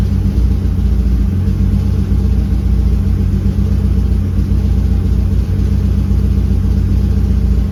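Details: BMW M52TU 2.8 turbo idling: deep, loud, uneven lumpy beat that never settles into a smooth rhythm; rough idle, cause not confirmed.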